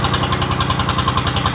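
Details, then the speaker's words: 3-cylinder Lister diesel in a harbor boat flooded for about 3 years, after its first start: the earlier hunting has settled into an even, steady chug of about ten beats a second, idling steadily. "And it's running steady now. So let it come around a little bit."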